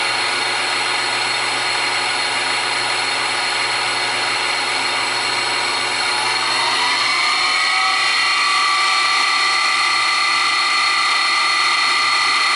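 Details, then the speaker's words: New Grizzly G0758 benchtop mill, low range 50–1,000 rpm, starting near 50 and run up to maximum. Smooth whir climbing steadily in pitch, no gear clatter or grinding; normal spindle run-up. "so that gives you an idea is the uh noise level it's not too bad when you get it up on maximum it's kind of screaming along there but there's no uh mashing of gear teeth sound or anything like that it sounds quite smooth"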